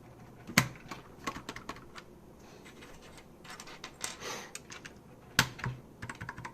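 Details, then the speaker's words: Keychron K4 LK optical red switch freshly lubed with Super Lube oil: irregular light presses with soft clacks. The oil's smearing squeak fades after a couple of presses, leaving a smooth, well-lubed switch. "You can hear that oil smearing squeaky sound already, but after a couple presses it kind of goes away."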